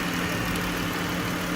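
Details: Dodge Avenger with a replacement engine after the original seized from running without oil: smooth, even idle with a steady low hum and no knocks, ticks or misses. Engine is healthy.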